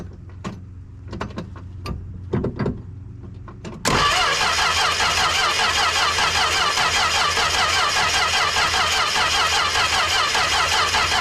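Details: 1974 Plymouth Duster, slant six with 904 trans, sitting since 1987, fed from a 2-gallon can bypassing the old tank: steady rapid cranking, about 2.5 beats a second, without catching while fuel is pumped through.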